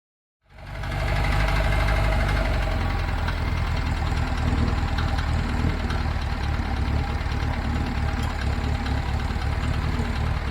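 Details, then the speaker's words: 1975 VW Fusca "Ratoeira" air-cooled engine at steady deep idle with a repeating knock, about three to four per second, under the engine note; abnormal noise from the engine, cause suspected, not confirmed; clutch also worn, possibly oil-contaminated. "infelizmente duas notícias não muito boas primeiro embreagem tá no final da vida talvez esteja contaminada com óleo pelo pela vibração que que a gente percebeu ali na primeira volta e a segunda é esse barulho anormal vindo do"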